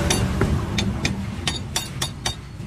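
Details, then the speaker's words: Toyota Hilux Revo while driving: sharp metallic clicks about three a second over low underbody rumble; center bearing first suspected, but propeller shaft cross joint found with slight play; worn driveshaft universal joint. "Magandang araw mga boss Pakinggan niyo itong ingay habang umaandar itong sasakyan ni customer"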